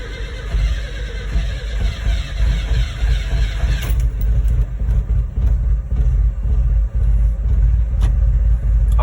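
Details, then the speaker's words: Datsun minitruck started stone cold with one pump of the throttle and no choke. It catches quickly and settles into a steady, even low idle with no stumble or hunting. A healthy cold start; the owner says it always fires and idles. "this thing has always been perfect it just fires our idols no matter what nothing don't keep the revs up no choke it's amazing"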